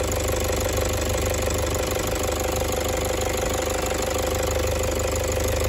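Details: Toyota 1KD-FTV D4D diesel after Euro3 injectors and suction control valve replaced: steady idle with faint uneven knocking rattle, cycling 10 seconds on/off only at idle, started cold; owner suspects fuel pressure/SCV or water; later fixed itself.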